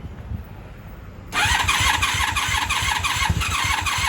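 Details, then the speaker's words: 1996 Honda Magna 750 VF750CD, choke on, coolant refilled, possibly flooded on an earlier attempt: starter whirs steadily about three pulses a second with occasional stronger pops; cranking with intermittent firing but no start, cause unconfirmed. "Fire, fire. We probably did flood the engine last time, but I would think the spark plugs were fine by now. You guys heard the fire."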